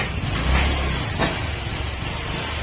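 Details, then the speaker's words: Honda Click 125 V3 fuel-injected scooter after the idle speed was raised to the correct setting (no lower than 1,500 rpm, injector reading around 2.2–2.3): steady low putter with no knocks or misses, smooth. Normal idle. "tapos papansin niyo sa tunog ng makina smooth ang tunog yan smooth yung tunog niya yan kaya dapat saktong sakto yung Menor niyo dapat mga sir"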